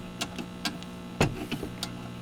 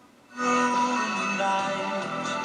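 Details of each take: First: Unidentified vintage tube radio (possibly Airline or Granco) on FM after parts replacement, in a basement: very quiet output, mostly a steady low hum with faint ticks and almost no station; weak FM reception needing attention. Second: Vintage tube radio of uncertain make (possibly Airline or Granco), after repair, playing an AM station: music is clean, crisp and bright with audible bass, a steady level and no hum or crackle. Normal audio output.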